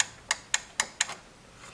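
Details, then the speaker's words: Electric laundry drying rack fully lowered to the bottom end of travel: four crisp clicks a quarter second apart as the limit switch signals the PCB and motor to stop. Normal; continued motor grinding would mean a faulty switch. "자, 이거는 방금 스위치하고 반대로 끝까지 내려왔다. 딱딱 들리시나요?"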